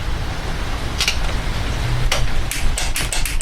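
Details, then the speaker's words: 1992 Johnson 60 hp outboard, starter motor being tested on a low 12.52 V battery: sharp single clicks, then a run of about five, with no cranking following any of them; starter clicks but does not turn over. "Nothing again. See, at least it's clicking now."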